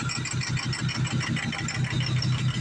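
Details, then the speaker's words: 2004 6.0 Powerstroke diesel, in for crank no start (burned starter replaced with 6.7 starter, started on ether); lumpy rough idle with thumps about four per second; power balance shows cylinders 2–6 bad, worsening from 2 and 5; injectors failing. "Now it's misfiring. Check the power balance where cylinder 2 is bad, cylinder 3, cylinder 4, cylinder 5, and cylinder 6."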